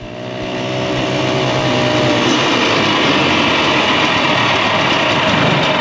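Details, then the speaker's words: 1967 Ski-Doo two-stroke with a Tillotson carburetor set too rich: the engine note wanders and stumbles instead of holding steady revs, with uneven popping and bogging, weak on power. "The motor will start skipping. It won't have that steady RPM to it. It'll be jumpy and skipping and kind of weak on power as well, kind of boggy because it's too rich, too much fuel to the air."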